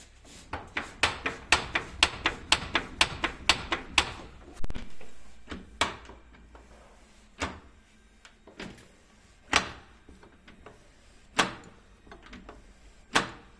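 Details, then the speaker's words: FOX 3.0 shock from a 2023 Polaris RZR Pro R turbo, cycled on the bench: sharp metallic knocks about two per second, then scattered single clacks; an untightened internal part was loose. "затем сех он не затянут то есть просто сех у нас болтался из-за этого вот этот стук был"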